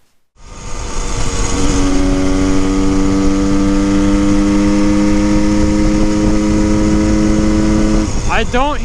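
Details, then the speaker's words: 1974 Honda MT250 Elsinore two-stroke on a top-speed run after a new spark plug cap and boots: a steady, clean wail at redline with the earlier crackling gone. "that crackling noise anymore it's not making that noise that's a good sign that's the first time I've actually redlined it"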